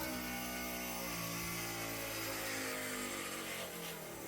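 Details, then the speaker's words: '51 turbo dually with a new junkyard 5.9L Magnum, first startup after fire-damage repair, in neutral with ignition on: the fuel pump gives a steady electric hum for a few seconds while priming. Fuel pressure confirmed, normal. "Fuel pump primes. We have fuel pressure."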